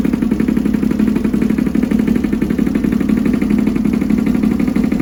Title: CX500 || mikuni carbs right cylinder misfire